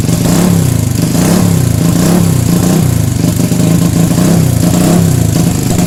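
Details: Single-cylinder motorcycle after a carburetor fix for fuel leaking out of the overflow: steady beat at fast idle with smooth rev rises, no misses or stumbles; carburetor now running clean.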